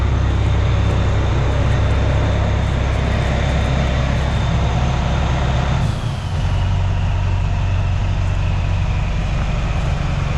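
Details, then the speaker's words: Bus 1410 "Brutus", diesel idling after replacing 24V fan drive solenoid (correctly wired, no change): constant roaring air rush over heavy idle never drops off; engine fans always on because fan clutch is stuck engaged. "I'm glad I did hook it up correctly though, but it didn't do anything, guys. That fan clutch is stuck."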